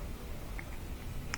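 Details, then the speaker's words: Gas barbecue grill that won't light, with a mechanical push-button igniter (no battery): several faint, sharp clicks spaced unevenly over a low room rumble, and a spark should be visible. Normal igniter clicking. "when you press it you should be able to hear the clicking sound here should be able to see the spark"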